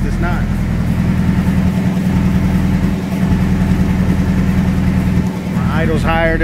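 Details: Honda B18C1 with eBay turbo in EG hatchback, on dyno after pulls: uneven hunting, lumpy idle rising and falling, heavy smoke; owner suspects turbo is hurt, engine lost about 20 hp and ran richer.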